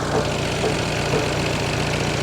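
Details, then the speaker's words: Peugeot 308 GTI idling after repair work on its Valvetronic variable valve lift system, while being checked for oil leaks: steady, smooth low idle with no misses or knocks, wind noise in background; normal idle. "The idle's so smooth."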